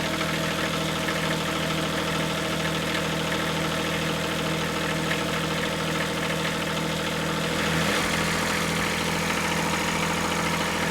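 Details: Kubota B7100 diesel tractor, new cheap group 51R battery, idling in cold weather, charging voltage climbing past 12.6 V as the dynamo warms: even low drone, no knocks or misses; normal idle, charging system judged good at 14.1 V.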